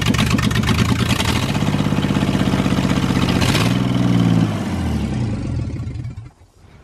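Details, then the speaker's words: Mustang on stock header and stock tune, no O2 sensors or EGR, one spark plug with broken porcelain: loud, lumpy idle with uneven chuffing and a dead stumble; misfiring, one cylinder not firing. "that thing sounds like a kubota if it had the cylinders all firing it would sound great"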